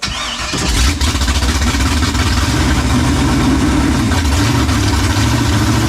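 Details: New LS 383 V8 in Deathwish on break-in oil, first fire-up: catches, then a lumpy, uneven idle with loose chuffing and rev blips. Untuned and running "pig rich", loud at first; tune not remotely close yet.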